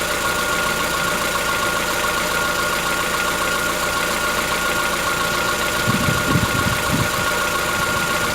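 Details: Chevrolet Onix 1.4, 2014-15, petrol, cold idle: light, fast, even ticking, not loud, over a steady idle for about 10 minutes after a cold start. Present since new and worsening. Owner suspects a tappet knock, not injectors; dealers call it characteristic. Unconfirmed.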